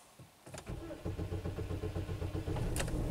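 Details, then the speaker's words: 2007 Pontiac with long crank time, tachometer and scan-tool RPM stuck at zero, P0335 crankshaft position sensor circuit code despite a replaced crankshaft position sensor; steady starter churning on and on before it fires. "Long crank time for sure. RPMs are at zero."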